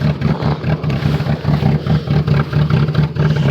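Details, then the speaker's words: Chevy Cavalier cold-started at 0°F: an uneven, lumpy rapping at about two beats a second over a low drone, with the idle stumbling like a rotary. The worst it has sounded in a long time; cause unclear. "take that sounds terrible sounds like a rotary rap rap rap rapping rotary Wow hey the worst I've heard it sound in a long time"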